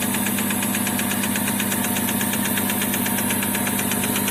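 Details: Chevrolet Epica, oil near minimum on dipstick, valve cover slightly sweating, after a 1.5–2 km drive: fast fairly even knock through the idle; internal engine knock suspected, cause not pinned down.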